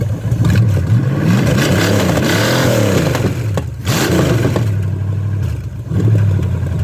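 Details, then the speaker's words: $50 Chevy small-block 305, first start after fitting an HEI distributor in place of a points unit that wouldn't time, no coolant in it: catches and runs with deep, even rumble, pitch rising and falling smoothly through quick revs, no knocks or misses. "i didn't want to run it too much longer because there's no water in it it sounds good baby"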